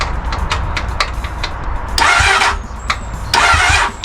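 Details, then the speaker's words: Crashed Honda Hornet motorcycle after plugging in a missing wire: starter spins the engine in two short bursts with a quick, even cranking beat but it never fires or catches; cranks but won't start. "there nothing all right so the missing wire here I plugged it in it sounds like it's going to fire but I don't know"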